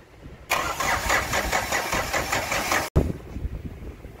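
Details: Mahindra Bolero Maxi Truck pickup diesel, about 3 lakh km, was burning oil, first start after engine overhaul with new sleeves: brief starter crank, then it catches and settles into a rough, even diesel idle after a short cut.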